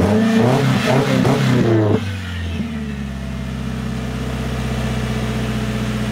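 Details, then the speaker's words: Subaru FB20 boxer with clogged front pipe cat, running without resonator and tailpipe: deep, throaty rumble, loud rev then settling to steady lumpy idle. Loud exhaust with resonator and tailpipe removed. "Oo, that actually sounds really, really, really, really throaty. It sounded pretty good, too."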